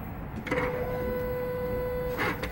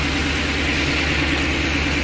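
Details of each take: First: Engine running with accelerator pressed, no trouble codes: steady mid-pitched electric whir whenever the throttle opens, from the noisy electronic throttle body motor. The throttle body is suspected dirty and due for replacement on this hard-working truck; accelerator pedal is fine. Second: 2009 Ford E-350 with 5.4 V8, no codes, earlier high idle and stalling from a throttle body problem: steady low hum with even firing, no hunting or surging; normal smooth idle.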